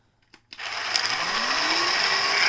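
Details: Onson D18e cordless stick vacuum floor head: motor spins up with a rising hum and rough ratcheting chatter; broken plastic end cap/gear popped back onto the brush roll's metal rod is slipping off its drive.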